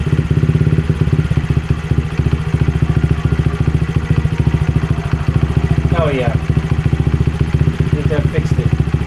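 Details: Honda CRF50 idling steadily after fixing a pulsing idle: bent throttle cable elbow and gouged casing made the throttle hang; cable and carb spring replaced. Small single thumps evenly at about 214 a minute, no hunting or surging; healthy idle.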